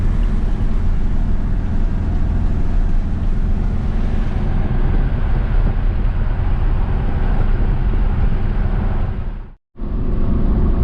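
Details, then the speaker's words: 1973 VW Beetle with new reman Bosch 034 distributor replacing Pertronix, highway cruise at 65–70 mph with barely any pedal: steady engine drone under road and wind noise, no hesitation or stumble; running smoothly. "Cruising along real nice. 65, 70 mile an hour. Barely any pedal at all to cruise at 70."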